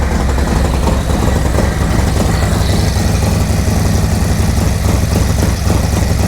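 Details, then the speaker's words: 2024 Harley-Davidson Road Glide M8 V-twin on an ice-cold first start after a Zippers 534 cam change, with a loud, deep, choppy loping idle; no ticking or leaks, running healthy. "Oh, she sounds good. Noisy up here, sounds really good. Sucking a lot of air."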